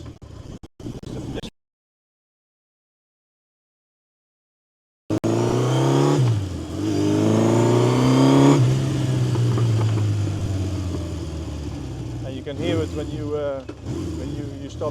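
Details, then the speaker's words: 1970 Honda CB750 K0 four-cylinder, fully rebuilt engine with 2,000 km since: after a pause engine catches and revs up and down cleanly, deep rough even exhaust note, no knocks; normal running and revving. "Uh top condition and the sound of a K0 is really really nice and rough. So, let's hear it."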